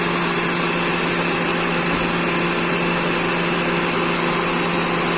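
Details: 2006 Toyota Corolla with stalling complaint, after replacing defective alternator (second-hand unit): steady, even idle with constant hum and fan hiss, aircon and lights on, no misses or knocks; charging system now okay.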